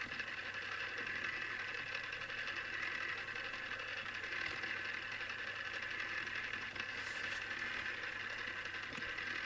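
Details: Newly assembled Tamiya Display Turntable (black) on its first test spin: steady, high, buzzy whir with no speed change; the gear train is noisy, and the owner dislikes it and may fix it.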